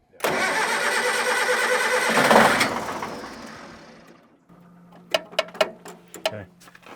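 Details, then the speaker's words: Diesel on a scrap-yard communication tower, unstarted for years: the starter churns about two and a half seconds, winds down without catching, then light clicks. No fuel at the injectors is suspected and the injector pump is next checked, unconfirmed. "you want to see if there's fuel in there because if we're not getting that fuel to that to right here it's not going to crank"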